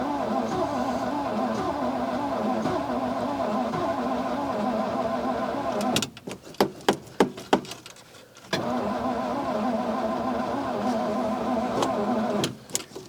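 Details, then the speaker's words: Old carbureted car on a cold morning around -2, choke shut, in neutral: starter cranks evenly about three beats a second with no firing, stops, cranks again; crank no-start, fuel not being picked up from tank despite fill. "I'm out of fuel. Okay, before we kill it, let me get a little more gas."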